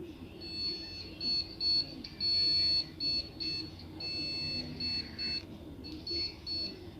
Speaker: ganito one long plus two short beef kung award bios video card [Musika] error